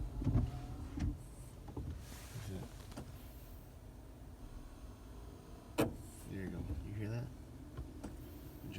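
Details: 2017 Limited Hybrid, stationary and quiet: short electric whirring bursts when the brake pedal is released, intermittent, sometimes a click on pressing; source unknown.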